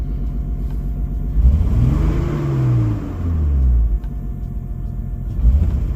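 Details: Nissan Skyline R32 cold start and revs: deep rumble with a rough, raspy edge from a known exhaust leak.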